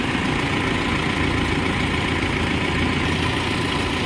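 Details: Mahindra Max BS6 diesel pickup after a snapped alternator/fan belt drained the battery, with the water pump replaced (myTVS part). Steady even idle with constant low clatter, no knocks or belt squeal. Normal idle after repair.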